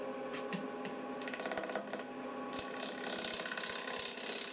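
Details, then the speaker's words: Lathe at about 800 rpm turning a thin, uneven natural-edge bowl from green wood: irregular rapid clicking and knocking over a thin high whine as the gouge catches the uneven rim; the cut is chattering. "Like I say, that bit of knocking and chatting you can hear."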